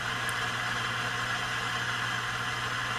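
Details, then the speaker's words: Heathkit T-3 signal tracer amplifier: constant hiss with low hum and faint crackle, pitch shifting slightly, not following any signal; tracer making its own noise, noisy component suspected, not confirmed. "also hear a little bit of crackling and hissing in there, so it sounds like there might be a noisy component in here."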